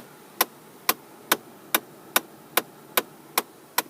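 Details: 2010 Ford Mustang: sharp, even tapping about twice a second behind the dash when airflow is switched to the upper vents, from the failing blend door actuator.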